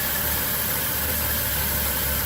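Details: Overheating car with new water pump and thermostat, coolant spitting back out: idle uneven and lumpy with heavy low shake, violent vibration, no clean misfire beat; blown head gasket suspected, exhaust gas in coolant to be verified by block test.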